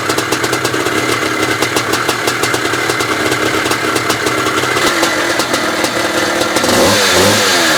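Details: 1982 Maico 490 two-stroke, first start after standing 8 years with just a carb clean: loud crackly running with throttle blips, revs climbing cleanly; normal running.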